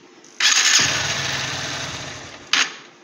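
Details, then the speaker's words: Honda Hornet 2.0 motorcycle at 53,336 km, before repair: harsh high whirring grind for about two seconds while cranking, ending in a sharp burst; starter motor noise, suspected low grease on armature shaft or worn carbon brushes. "এই আওয়াজটাকে আমরা solve করব। এটা কী হচ্ছে না, starter মোটরের ভেতরে যে মোটরটা আছে, মোটরটার ভেতরে একটা এরকম সরু মতো রড থাকে, ওটার মধ্যে গ্রিসটা আর কি হয়তো কমে গেছে এরকম আওয়াজ হয়,"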